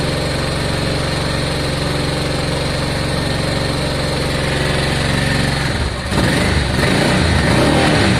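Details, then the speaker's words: Honda Deauville V-twin motorcycle, first start after carb clean, on choke, fuel pump reconnected: steady, even idle with regular beat and no misses, then smooth rise in revs; normal idle. "That sounds very good. Sounds smooth."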